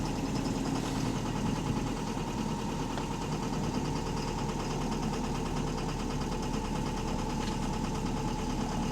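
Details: Bus HV48 diesel idling with a loud, fast, even knock underneath, steady and constant; suspected rod knock in the bottom end, cause not confirmed.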